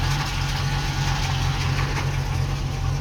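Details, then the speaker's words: Ex-NZ Army V8 Land Rover after replacing the military ignition with a Mallory coil, optical unit, distributor cap and rotor, running fully reassembled: even, steady V8 idle with a low rumble, no misfire stumbles or ticking; idles smoothly. "all right she's all back together again and running so a bit difficult to see once everything's back in place"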